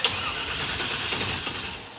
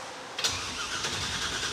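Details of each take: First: Engine with a newly installed starter spins evenly for a couple of seconds but never catches; no-start, possibly with no gas in the car. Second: Roadkill project car fitted with a replacement starter ordered for a 1997 Camaro application: steady whirring crank with no grinding or clicking. The starter works but the engine doesn't catch; the tank may be empty and spark is suspect.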